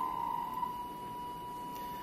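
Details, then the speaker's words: Cytron MD10C Rev3.0 brushed DC motor driver on an Arduino (PWM D6, DIR D5) in locked-antiphase mode, motor at standstill. A thin, steady high-pitched whine near 1 kHz comes from the motor being driven back and forth at roughly 400–900 Hz. This is normal switching noise. "So you hear the noise from the motor. So this is because Arduino is driving the motor back and forth constantly in a quite fast frequency, which is around 400 or 900 hertz."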